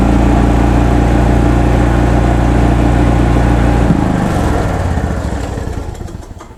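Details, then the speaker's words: 2004 Club Car Precedent gas golf cart, crank no-start case, running: engine holds a high, flat speed with no throttle change, hitting the rev limiter, then winds down when shut off; governor suspected bad or out of adjustment. "this thing is also hitting the rev limiter so let me okay because it's hitting the rev limiter I think our governor is either bad or way out of adjustment"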